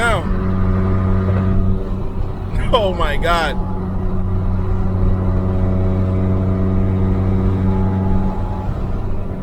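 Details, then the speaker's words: BMW 335i N54 that threw a 30FF no-boost code, running after the bad wastegate vacuum hose was cut back and reconnected: a steady, even pull reaching about 15 psi boost with no hiss or flutter; the boost leak is fixed and it sounds healthy. "yo it went up to like 15 foot PBS of boost sounds healthy and he wants to move man super satisfied"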